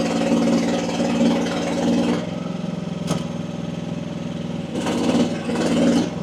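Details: AGT WH12R 1-ton Chinese mini excavator digging, hydraulic relief at about 2300 PSI: diesel holds steady, dipping slightly and recovering without stalling; owner feels this pressure setting is optimal.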